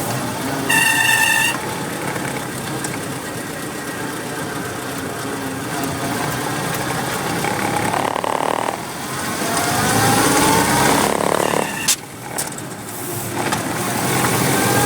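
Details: Willys MB at idle with a sharp high squeal then fainter chirps from the clutch group only 1,000 miles after full rebuild; throwout bearing suspected, pilot bushing replaced by sealed bearing; not confirmed.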